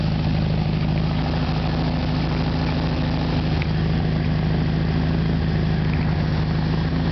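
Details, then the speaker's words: 1973 Volkswagen Super Beetle, rebuilt original 1600cc air-cooled engine with about 150 miles, carburetor just cleaned and idle adjusted to about 800 rpm warm; fires right up without pumping the gas, low steady even putter, no misses or knocks: normal idle. "go ahead and start it let you guys listen to it fires right up"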